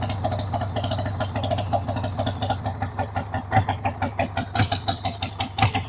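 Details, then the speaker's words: 1993 Harley-Davidson Sportster 883 Evo V-twin, sat about 15 years, started on jump pack and starting fluid: lumpy idle, about one heavy beat a second, growing uneven and weaker until it dies; fuel starvation stall because the fuel tap was turned off. "Okay, you know why it died? Because I turned the gas off. Let's turn the gas on again."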